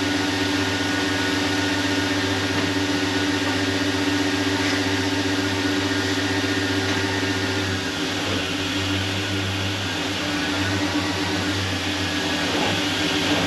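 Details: LS-swapped V8 after tightening the loose torque converter bolts with Loctite: smooth, steady idle with an even hum and no more ticking from the bell housing; repaired.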